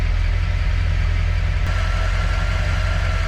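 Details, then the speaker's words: 1931 Ford Model A with Edelbrock 1405 carburetor that had a float flooding issue: even, low, steady putter with no knocks or stumbling and not dying from flooding; normal idle, though fuel filter still not filling well. "She sounds good. No knots. No knocks, and she ain't dying like she's flooding."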